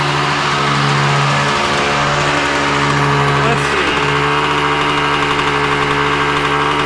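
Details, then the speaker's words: 1986 Yamaha Tri-Z YTZ250 two-stroke, warmed up. Steady, buzzy idle held well above normal with no hunting. Owner suspects the mixture screw, then concludes the idle needs turning down. High idle. "You hear it kind of running high like that. Let's grab. As long as it doesn't run away a little high. Could be a mixture screw thing."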